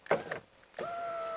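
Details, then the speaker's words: 2015 Hyundai ix35 2.0 GDI, left front power window, ignition on: clicks, then after a pause the window motor kicks in with a steady hum; intermittent fault, wiggling the door loom had no effect, mechanic suspects the switch assembly. "now it's going up and down and it's all very fine but i did wiggle the wiring when it was playing up and it made no difference whatsoever"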